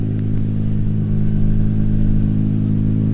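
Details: 4th-gen Nissan Maxima donor car, revved: loud, raspy blat with a rattly edge over a deep drone; exhaust leak.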